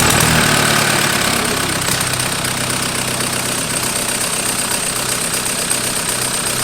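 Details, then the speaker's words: 1991 Toyota pickup with a swapped 1.9 L ALH TDI turbo diesel from a 2000 VW Jetta, on its first start: even, steady diesel clatter settling into a smooth idle with no misses. Normal idle; pump timing and IQ still to be adjusted. "I didn't think it would run that smooth"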